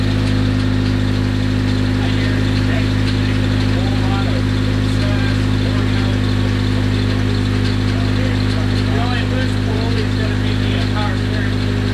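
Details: Freshly rebuilt Nissan KA24DET at idle: steady petrol idle with quick light ticking about three a second, sounding like lifter tick; cause unconfirmed.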